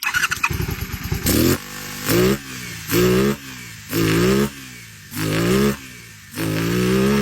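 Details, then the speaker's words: 1989 Honda VTF250 Interceptor 249cc V-twin, after carb cleaning and freeing a stuck vacuum slide: throttle blips rise and fall cleanly and quickly but still slightly uneven; slight misfire, owner suspects worn spark plug wires and missing coil caps. "Had way better acceleration. Still not running perfect. I need some new spark plug wires."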